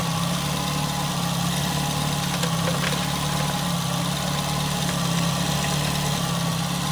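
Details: Nissan Altima, exhaust manifold crack checked for leaks: steady, even idle with smooth low hum, no ticking or puffing; idling cleanly with exhaust sealed.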